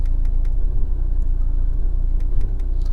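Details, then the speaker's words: 2011 Fiat 500 1.2 Lounge Copart salvage car, on diagnostic tool: low rumbling idle pulsing unevenly with occasional knocks, returned to running rough; no fault codes, cause not confirmed. "oh oh here we go again it's knocking again oh it's gone back almost gone back to where it"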